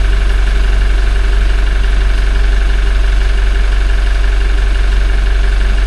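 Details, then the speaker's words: Toyota 1GD-FTV diesel, 40,920 km, idling and warming toward 40°C on old Lukoil oil before an oil change: steady knock about three per second under the low rumble, faint timing chain rattle that is quiet but present. "Есть этот звук, он даже сейчас он прослушивается немного. О, начинается."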